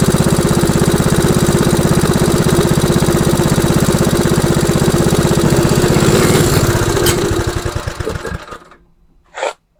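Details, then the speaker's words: MTD Snowflight two-stage snowblower, Tecumseh 8 hp Snow-King engine, old fuel: restarted and left idling to burn off the fuel and warm the oil before an oil change. Steady, even single-cylinder thump about three beats a second, then winds down and stops cleanly; normal idle. "All right. So we'll try starting it one more time. I'll just let her idle. That way it's not too loud."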